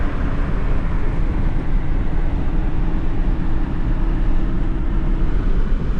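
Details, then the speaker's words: Ford Ranger 2.3 after full new exhaust system from manifold back, driving, microphone inside cab: low even road-and-engine rumble with no drone, hiss or rasp; much quieter, like a new truck. "Tell you what, it's a night and day difference in how this thing runs and how quiet it is inside. It's almost like a new truck."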